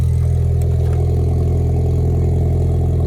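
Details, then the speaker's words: Warm-up idle on a 2016 EcoBoost Mustang with a new engine, E85 tune and Precision big turbo: strong, even low hum with a steady pulse, no knocks or ticks, no smoke; healthy warm-up idle. "Let it chill. Let it warm up. Oh, that sounds really good, boys. No smoke."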